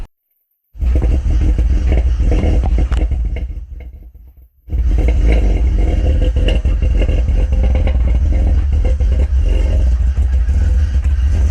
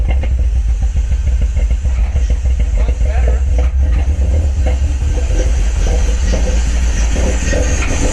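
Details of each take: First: 2004 BMW 330Ci E46 with 264/248 cams, headers, no tune yet: loud deep rumble with uneven loping chop, about three to four lumps a second; normal big-cam idle, no fault. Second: Cammed BMW E46 idling lumpy and uneven right after vacuum-leak repair; deep hollow suction roar from the open intake, loud because the cone air filter is not fitted.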